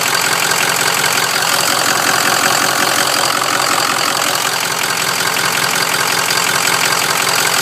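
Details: Used Ford Super Duty Powerstroke diesel after a previous dealer's delete kit, idling with the main engine harness connector plugged back in: harsh clattering idle with an unsteady, lumpy beat, about four pulses a second; running rough, harness in very poor condition.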